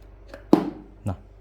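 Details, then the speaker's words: Bluetooth soundbar with a small amplifier: sharp, startling thump at switch-on, then a softer second thump; turn-on pop because the amplifier's mute/standby pin is left unconnected, since its power-on pin is unlabeled. "kita coba ya ulang lagi sekali kayak ada suara duk gitu bikin kaget kayak meledak aja coba"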